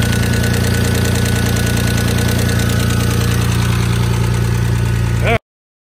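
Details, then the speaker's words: Stealth idling right after new lash adjusters were fitted: fast, even light ticking about three per second as the new lifters still pump up with oil; oil pressure good, bottom end ruled out, owner unsure it will quiet. "I still hear a lot of thicket [Music] might take a little while for those lifters to puff up we'll see hopefully they do if not then I've got something else making this noise"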